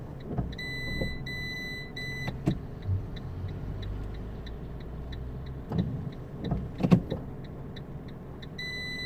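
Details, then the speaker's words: 2008 Fiat 500 Dualogic semi-automatic after clutch replacement, jumping into neutral when stopping at intersections: short actuator whirs and clicks repeat over a quiet idle as the gearbox keeps trying to re-engage first gear. "I can feel the gearbox trying hold on it's first gear again"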